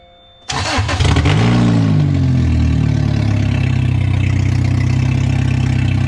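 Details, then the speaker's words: Lotus Elise engine starting and idling: rough, raspy idle with rapid puffing pulse about four a second, noise heard from underneath rather than up top; loud exhaust noise, owner suspects something split or a blown gasket. "so so i think i thought the noise was from up here but we took off the cover and i hear it all on the bottom now so [Music] oh it sounds so ugly i wonder if something split or blew a little gasket somewhere"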